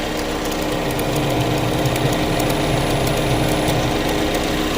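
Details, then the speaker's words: 2015 Chevrolet Equinox 2.4L, codes P0411/P0412/P2440 after shop-installed secondary air pump: steady buzzing pump drone over idle, no surging; pump runs but pressure weak (about 1.8 PSI rise), likely why stuck-open code sets. "I think it says stuck open because we're not achieving our pressure and that's all it's basing it on"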